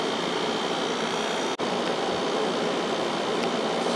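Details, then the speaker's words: 1995 Kenmore 5,450 BTU window AC with GE PSC fan and Sanyo compressor, about 20 minutes in, switched from low (3.78 A, 423 W) to high fan: even airy rush and faint steady hum, blowing cold air even with a heater aimed at it, normal cooling. "go up to high speed this is blowing nice cold air even with the heater going right into"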